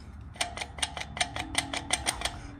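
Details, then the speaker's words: Dirt bike rear wheel, off the bike and bounced on the ground: about nine sharp metallic clicks in two seconds from loose sprocket bolts working against the aluminum hub. "He's going somewhere with sand, and when I took the wheel off and bounced it on the ground to get over here, I heard that noise,"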